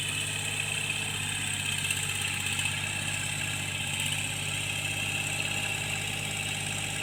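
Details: Tractor engine during cultivation after the mechanic fixed its knocking: pulls steadily with a smooth drone, no knock or miss; sounds healthy.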